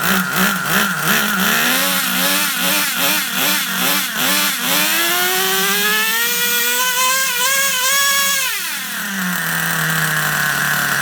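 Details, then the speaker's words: Vintage Traxxas Rustler nitro RC engine, first start after 1.5 years sitting: high-pitched little engine surging up and down in pulses, then a long blip and drop, burbly uneven note; running plenty rich. "This thing is running plenty rich."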